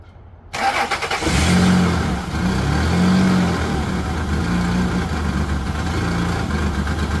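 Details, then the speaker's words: Petrol engine starts, flares, then settles into an uneven, lumpy idle; spraying brake cleaner around the intake smooths the idle, confirming a vacuum leak. "So, you can see it's running like kind of like cracked. What you're going to do is get you some little brake clean and you're just going to spray it around and see if it smooths out on you."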